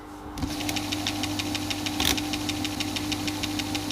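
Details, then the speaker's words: 1960s Grundig Stenorette dictation machine run without its microphone control attachment. Steady motor hum with sharp clicks about four per second as the mechanism winds, then it jams. The owner suspects the pulleys or the part gripping the threaded rod. "so it's moving a bit better on its own it's clicking but it's managing to get going again until it gets to there"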